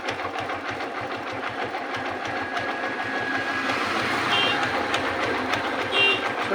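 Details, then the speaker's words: Hero Glamour motorcycle after fitting a new timing chain to cure a loose-chain noise: even, light ticking idle with no rattle or slap from the cam chain area; the engine sounds healthy. "পাচ্ছেন কত সুন্দর sound quality হয়েছে ইঞ্জিনের।"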